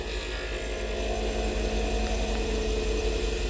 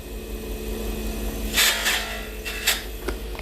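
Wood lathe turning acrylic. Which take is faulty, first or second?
second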